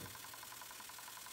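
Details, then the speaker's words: Battery-powered spray bottle used daily for about 7 weeks on its original battery; pump gives a light, quick buzzing pulse of about nine beats a second, spray not constant but even, which the owner calls normal for the pump. "you can see how it sprays it is not a constant rate it's a little bit me can feel you can see the pump inside you can feel it on the pressure you know think it's ears you can hear as well"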